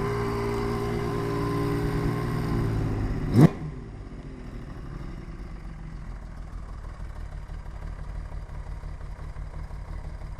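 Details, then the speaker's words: 1980 Honda CBX1000 with Wiseco 1150cc big bore, ported head, '79 cams and carbs, Dynajet stage 3 kit, 6-into-1 pipe: multi-cylinder engine purrs at a soft, even 500 rpm low idle, barely ticking, showing good carb sync, jetting and valve adjustment. "Just purrs. What is that? That's at 500 RPM. Can you hear that barely ticking away? That's good carb sync, jetting, and valve adjustment."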